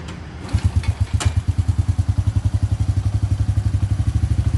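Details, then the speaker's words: Honda Dream Kurusapha single-cylinder motorcycle, brought in for loud engine noise, after rebuild with new connecting rod and all internal bearings: even steady idle pulses, no knocking or clatter; quiet and healthy. "ครับเงียบใช้ได้เลยครับ"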